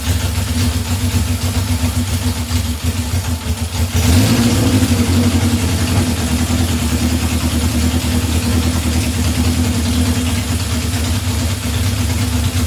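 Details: 1978 Honda CB750 K8 first start after starting/ignition repair and carburetor install, booster on battery, temporary fuel supply: cranking, fires at about four seconds, revs briefly, settles into a steady, even four-cylinder idle.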